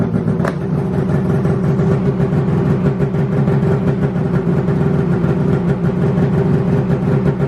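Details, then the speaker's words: 2019 Polaris Pro RMK 850 two-stroke snowmobile right after replacing a bad exhaust temperature sensor: steady fast buzzing idle with even beat, no misfire or stumble. "Now here comes the real test. We're gonna go ahead and fire the sled up and see if it cleared the code."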